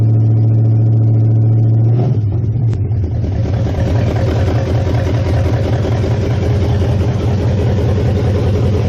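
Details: 1969 Mustang V8 first start after sitting, electric choke not yet hooked up. Starter churns, then it catches into a loud, lumpy but even idle with no knocks; oil burning off the top, no smoke, good compression. Normal.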